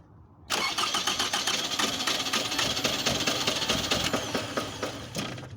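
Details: 2004 Toyota Camry with a starting problem: the engine catches and runs unevenly with stumbling, irregular beats, a misfire from failing ignition coils; the scanner shows a cylinder 1 misfire code.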